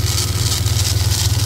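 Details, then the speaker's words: Ford EF XR6 Falcon 4L SOHC six warming at idle before oil change; quick even light tapping over engine beat, rattly; owner suspects power steering pump or its pulley, unconfirmed. "What's that tapping noise? I think it's I think it's the car's steering. I think it's that."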